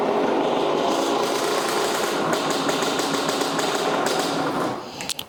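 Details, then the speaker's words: Neglected 1983 Yamaha YZ80 two-stroke, first start after new piston kit, started on second kick: fast crackly buzz held steady several seconds then drops off; runs cleanly, though fuel is leaking from the fuel line. "Got a fuel leak, but it runs. [snorts] But it's leaking fuel. It's leaking fuel from that fuel line. Man, she cranked like second kick."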